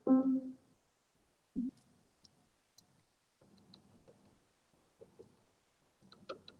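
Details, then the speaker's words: Upright piano action, problem key isolated from the key to the wippen assembly: small dry clicks as parts are worked by hand versus a quiet neighbor; suspected loose wippen flange screw or side play. "I can kind of simulate it here so here's the neighboring one nice and quiet here's the one that's problematic"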